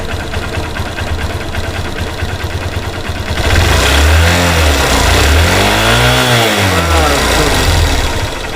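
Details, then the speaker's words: Hero Xtreme Sports motorcycle, 51,129 km, after replacing the timing chain with a silent chain: even single-cylinder idle then a smooth throttle blip rising and falling with no rattle or ticking; top end quiet and healthy. "कोई भी इसके अंदर sound नहीं, जो भी था इसके timing chain से था, जो मैंने इसके अंदर ऐड कर दिया है।"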